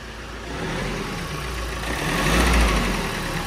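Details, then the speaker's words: 2019 Ford Transit ex-fleet diesel van, first start after repair work; it has a pending AdBlue/emissions issue: even diesel idle with a slight swell in level, no exhaust puffing or rattles; normal idle, sounds just as a Transit should. "Yep. I'll tell you what that sounds like. Transit. Sounds like, sounds a transit."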